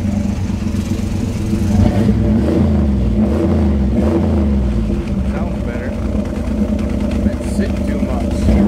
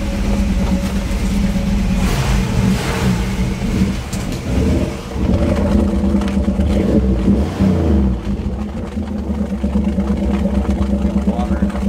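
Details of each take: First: After water was cleared from the exhaust pipes, which had been full; deep, steady V8 burble holding an even beat without stumbling; normal idle. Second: Crosley started after sitting: a lumpy idle with an uneven bubbling gurgle from water trapped in the exhaust pipes; a drain hole will be drilled in the pipes' low spot.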